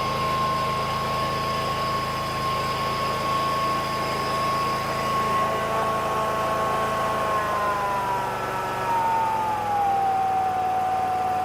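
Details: Bobcat Predator Pro zero-turn mower with Generac engine, losing power in tall grass, fuel line replaced, started at max throttle on choke: smooth even high-throttle drone easing slightly lower, no misses or knocks; normal running.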